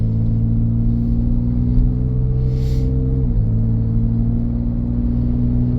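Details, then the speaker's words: 2014 Ford Edge AWD, Ford 3.5 (unsure if EcoBoost), recently replaced transmission with a roughly 97k-mile unit, driving uphill accelerating toward 60 mph: steady even drone, slightly louder exhaust but not loud, good power, smooth shifting, running healthy. "it's driving really nice it's got good power sounds like maybe a little bit louder exhaust but um it's not really loud it's just not quiet but it has good acceleration going up this hill"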